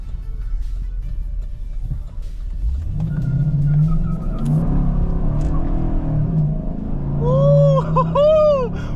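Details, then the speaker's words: 2013 Chevrolet Silverado 5.3 V8, warmed up, accelerating on a test drive after a spark plug change with traction control off. A deep rumble builds and pulls smooth and strong with no stumble or misfire. "Oh, she with it. Oh yeah, she's running good now."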